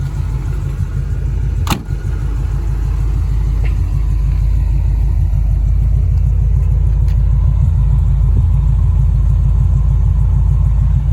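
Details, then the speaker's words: Chevy V8 swapped into Range Rover Classic, IMPCO 300A mixer with vaporizer, HEI ignition, coated headers, warm engine; deep heavy even rumble, no misses or knocks, quiet under bonnet — normal warm idle; owner suspects water pump pulley misalignment causes slight vibration. "Sound wise, it's pretty close to the Rover. It just lower tones, runs heavier. It's like an obese Rover. Pretty quiet actually under the bonnet and under the hood."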